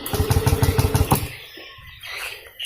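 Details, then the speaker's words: Yamaha Aerox that was totally dead; the fuel pump now buzzes, but the starter spins the engine in quick, even pulses for about a second with no firing. Crank-no-start from a damaged fuel pump feed wire being replaced. "saya coba dan juga Bismillahirrohmanirrohim tetap tidak mau bro"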